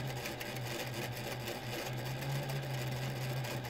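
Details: Reliable SewQuiet 6000SM servo motor on a Juki DDL-8700 industrial sewing machine with no oil in it, recorded up close at slow then faster speed: quiet steady low hum, even and smooth, no knocking, rubbing or whine; healthy.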